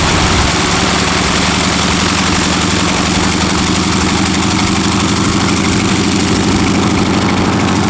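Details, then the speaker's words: North American T-6 WW2 trainer's radial engine, sat 12 years, first start: deep steady rumble with rapid even firing and no stumbling or backfires; harder to crank than the MiG-15 but running smoothly. "It runs. It runs. It fired up. It was a little more adventurous to crank up than the other one."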